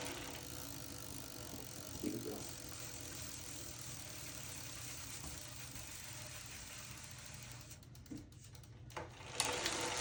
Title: Zwift Hub Grinding Noise